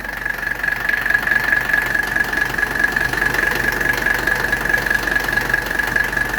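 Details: 1985 Mercedes 300TD W123 diesel wagon idling during R12 charging of its overhauled AC system, with bubbles still showing in the sight glass: even diesel clatter of about 140 per minute plus a constant high compressor whine. Healthy idle with the AC compressor running.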